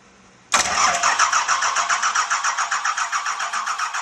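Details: 1986 Ford F350 with swapped 5.9 L 12-valve Cummins, no cooling system fitted: starter cranks the diesel evenly at three to four beats a second but it never catches; fuel filter possibly not filled; later fixed by bleeding injectors and tightening a filter fitting.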